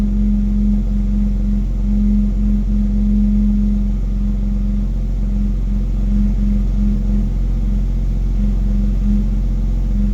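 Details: BMW X3 M exhaust: a low hum around 200 Hz comes and goes over a steady engine rumble, stopping when the accelerator is pressed 1 cm without revving; at times much louder, with rattle.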